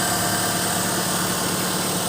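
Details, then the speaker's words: Hyundai Trajet with jerky running and stalling, after replacing the CMP sensor and jumpering a faulty wire with an external one: even, steady idle with smooth low hum, no stumbling or misses; running properly. "Oke, kita starter. Nah, normal, tidak kembali lagi."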